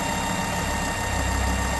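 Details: Ford S-Max 2.5T (Volvo engine) idling with a steady unwavering high whine and strong crankcase vacuum, caused by a failed diaphragm in the oil filter housing breather; fix is replacing the diaphragm or housing.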